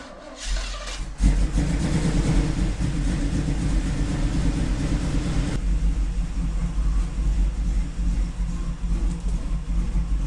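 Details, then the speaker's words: Chevy C10 with a small-block 305 V8, cold start after sitting; deep, uneven lumpy idle with irregular stumbles that wants to die, smoking; owner suspects bad gas from the bottom of bad tanks, not confirmed, runs better once warm. "I was going to try to let her warm up a little bit but she wants to die and I got a sneaking suspicion that the uh that the tanks are bad"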